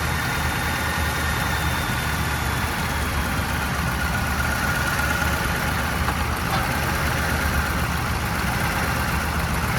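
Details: Old Ford turbo diesel truck, sat for years, first start after glow plugs on jump box, imperfect fuel line: even, steady diesel clatter at idle with faint turbo whistle and no misses; idling normally on its own power.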